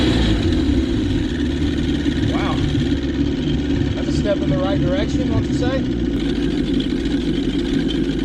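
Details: 1977 Johnson 115 two-stroke outboard on the water after new CDI, coil packs, reed valves, fuel lines and cleaned carbs holds a steady, even idle burble with no stumbling or surging; fixed, reeds weren't the cause.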